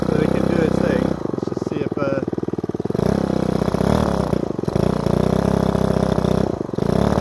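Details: Repaired Ryobi two-stroke strimmer started on choke after priming the bulb, carburettor screw given a quarter turn; buzz sags and picks back up every second or two, hunting and nearly stalling; unstable, blubbery idle, owner thinks fine tuning will fix it.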